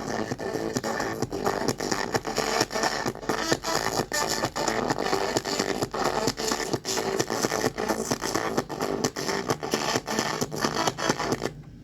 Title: CD/Cassette Player Crackling sound